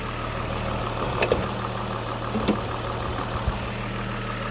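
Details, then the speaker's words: 2005 Buick Rainier inline-6 after replacing a failed original ignition coil for a cylinder 1 misfire: low, even idle hum with no skips or stumbles. It runs smooth, and the check engine light stays off. "Yeah, she's running smooth. I do like that engine. The inline 6."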